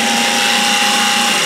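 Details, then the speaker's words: Garbage disposal run with water during inspection repairs: loud, harsh grinding roar with a steady high ring over running water; suspected loose grinding blade, to be repaired if possible, otherwise the disposal replaced. "so what it sounds like is that one of the the grinding blades has worked loose and we may be able to repair it if not we'll have to replace the garbage disposal to get get rid of that sound"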